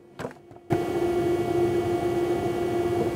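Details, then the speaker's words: Agilent 53131A frequency counter switched off at its soft front power switch, yet its loud Delta-made HP cooling fan keeps a steady mid-pitched hum after a click; fan stays powered by design. "see the thing's turned off and you can can probably hear the fan noise"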